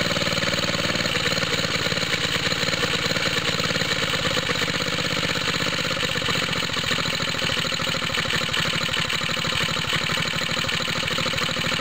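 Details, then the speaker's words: Cold start of a small water-pump rig engine on straight 30-weight oil, choke on, after fitting an exhaust tip: cold idle with an uneven pulse and a faint puffing tick each firing. Owner suspects a head gasket leak, with smoke from the side of the head. "Like I was saying, is there's a, I think a head gasket leak right around here. I keep seeing smoke coming out of here."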